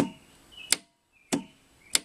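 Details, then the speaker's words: Reversible engine with generator and voltage regulator control box, quiet room: three crisp clicks about 0.6 seconds apart as the reversing solenoid clunks in normally when the key is turned on and the toggle switch is flipped. "I'll flip my toggle switch here and when I turn the key on you'll hear the reversing solenoid clunk and if I flip the switch while the keys on"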